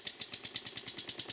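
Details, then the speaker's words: Stuart Models 10V steam engine on about 40 psi compressed air, with leaks at the lubricator and the soldered elbow: sharp, hissy puffs at about seven per second, thin with no solid beat and little power; a blocked steamway leaves it running single-acting. "And now the engine runs. It's got about 40 pounds per square inch going into it currently. But the engine's not running properly, it has very little power and it doesn't sound right."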